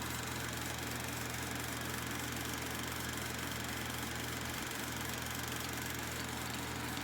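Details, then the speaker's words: Kodak Pageant AV-126-TR 16mm sound movie projector with the rewind switch on and the motor running in fast rewind: a steady, even whir and rattle with no speed changes or knocks. Normal fast rewind. "turn it backwards maybe you can do is hit the switch to rewind and turn the motor on and you can do a fast rewind"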